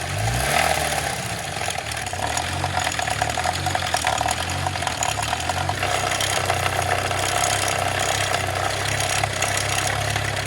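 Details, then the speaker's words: 2004 Chevy Malibu Classic at idle: a fast metallic, loose-change clatter from the upper engine that got worse while the car sat. Owner suspects the timing chain is slapping the valve cover or off its guides. "That is not supposed to sound like that. That sounds like Mr. Timing Chain smacking the top of the valve cover."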